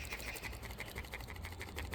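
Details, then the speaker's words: BMW M235i going into limp mode with a timing fault code: faint, light ticking at about six clicks a second from a new BMW VANOS solenoid before fitting, which is said to be normal for new ones. "I didn't know this but apparently new ones will make a noise listen to"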